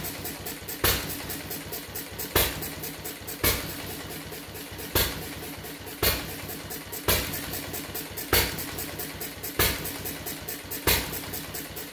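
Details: Fuller and Johnson hit-and-miss engine on first run after cleanup, 6-volt battery and coil box, started with a little choke: slow uneven firing bursts about every 1.5 seconds with coasting between; owner suspects running rich, plans checking mixer and RPM.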